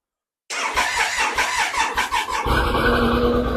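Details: Triumph Sprint 955i non-runner neglected for years, after fuel pump starts priming and fuel returns: quick even starter pulses, then engine catches and settles into a strong steady run with clean revving; normal running.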